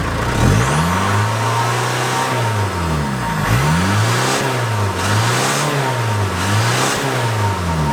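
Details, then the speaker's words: Peugeot 306 Meridian 2.0 HDi stage one, rotten original exhaust before stainless replacement: diesel revs up and down with a raspy, blowing edge over the engine note; exhaust leaking in many places. "now the mrt is during a week and it's blowing in about 50 places because it's ancient and it just gets bashed around"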